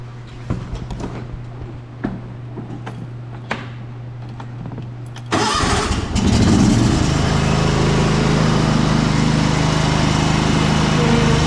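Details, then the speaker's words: John Deere LT190 riding mower after replacing the transmission pulley that caused squealing and poor drive: engine starts after a few clicks and runs steady and even, no drive squeal; drives forward and reverse fine. "as you can hear it's is a lot quieter now and it actually drives forward and backward just fine"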